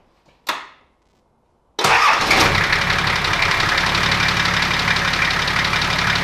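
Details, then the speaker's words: 35-year-old Nissan GQ Patrol TD42 diesel after new injectors (old seals reused), pod filter fitted: catches quickly, then a steady clattery idle with a light tappet tick, normal for TD42s. "I think it sounds really good now. It is still a little bit tappety, but TD42s are notoriously tappety, so we're gonna leave it at that"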